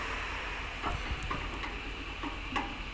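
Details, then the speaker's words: Audi A3 front suspension, strut rocked by hand in the workshop: irregular dull knocks over steady hiss from play in a worn, blown shock absorber, heard as front-end knocking on the road. "takır takır takıp ses yapıyor gördüğünüz gibi böyle bir boşluk var Aynı zamanda da patlamıştı bu"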